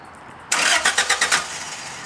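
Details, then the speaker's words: Toyota Corolla running E85 with a four-injector conversion kit; fuel pressure is the same as on 87 octane. Short bursts of starter cranking, then the engine catches cleanly and settles into an even idle with no check engine light. Normal, quick start. "There, start it up soon. I'll get in the car. Show you there's no check engine light. Car idles and runs perfectly fine."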